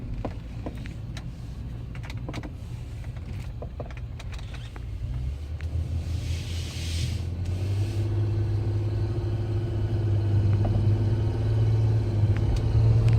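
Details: 2010 Nissan Maxima with an unexplained noise that began a week earlier: steady low hum growing louder, with a faint whirring tone joining halfway; source unknown.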